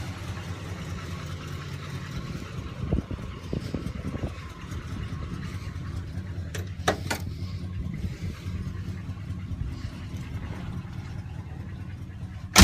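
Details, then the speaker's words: "Sweet71" V8 after a cold start, now warm enough that its usually high idle has dropped: a smooth, even low rumble at a steady idle with no misses or ticks. Owner says it's purring. Normal warm idle. "listen to her purr she's happy I haven't heard a purr like this in a long time typically she's high idle but I guess it's warm enough that she's purring this time that's incredible"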